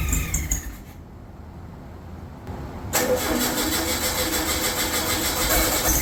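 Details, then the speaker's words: Freshly rebuilt VW air-cooled 40HP engine, first start after fuel pump swap: cranks, fires around three seconds, then uneven lumpy run that won't hold a clean idle; carburetion needs tuning, cam break-in not yet possible. "yeah it's definitely uh going to need some tuning that uh 20- minute break in for the cam is well it's not happening yet this is a problem with the new builds sometimes the carburation just isn't perfect though"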